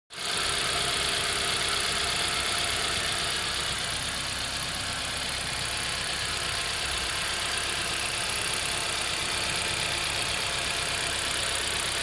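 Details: EN07 engine idling, noise began suddenly: fast light ticking over a hissy, slightly uneven note; identified as fuel injector noise, injector later replaced.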